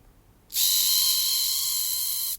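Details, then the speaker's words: Hornby R693 HST power car motor, circa 1990, just rebuilt: a sharp, steady high-pitched screech starts as soon as power is applied. Dry motor bearing squeal; fix is a little oil on the bearing behind the worm gear and the front shaft bearing. "making that awful screeching noise. That's very common with these uh motors."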